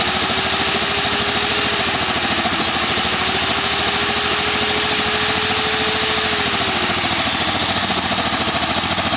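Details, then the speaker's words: 2019 Champion 100812 portable generator revived after sitting about four years, running with load attached to see if it idles up; uneven, lumpy beat with wavering tone that sags and recovers, rough running, cause unknown, tuning still to do. "Doesn't seem quite right."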